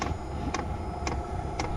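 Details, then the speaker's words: SILVEL diesel heater after a fuel-leak repair, running at max temperature, heard outside: sharp, evenly spaced ticks about twice a second over a low rumble as the fuel pump meters normally. "Okay, we got our max temp. And I hear it clicking out there. So that means she's doing her thing."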